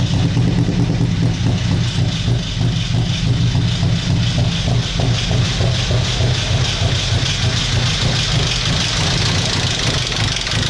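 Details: Ford Sierra engine being restarted after fuel line work, won't run well on petrol: rapid, uneven knocking about three per second over a rough idle; owner believes the motor is dead, cause unconfirmed.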